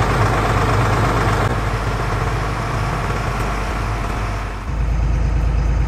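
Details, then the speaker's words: LMTV M-1078 diesel, cold start on a chilly day with engine heater on, after battery box overhaul and new starter solenoid contactor: brief cranking, fires cleanly without stutter and drops into a steady, deep idle. "say enough how i like that no stutter starting anymore well this is a cold start but with the engine heater on"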